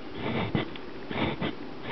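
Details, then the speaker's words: Woofer after a poor re-foam repair: short scratchy rasps as the cone moves, voice coil rubbing against the magnet, totally off axis and misaligned. "You can hear the the coil rubbing against the against the magnet. Totally not lined up."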